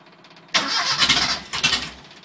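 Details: 1984 Ford Econovan converted to a rebuilt Mazda FE 2-litre, first start after over two years without an engine: the starter cranks briefly and the engine catches in ragged stumbling bursts with low idle, needing throttle pumps to get fuel in.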